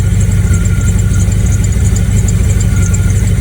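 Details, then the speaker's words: Project truck with carburetor, de-winterized spring 2022, cold start: low, stable idle expected to rise once warm, no vacuum-leak hissing, faint belt squeak; improved after spark plug change and carb tuning. "It's going to be a low idler until it like warms up, which is the way this truck is right now, I believe. Stable there."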